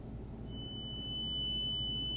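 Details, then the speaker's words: Braun Wandanlage (Dieter Rams) L 450 speaker tweeter driven directly with a 3 kHz signal-generator tone through an amplifier: clean, steady, strong high-pitched tone, no buzz, rattle or crackle; tweeter works, so fault is likely a repairable component in the cabinet or a loose connection. "Nice. That thing sounds nice and strong."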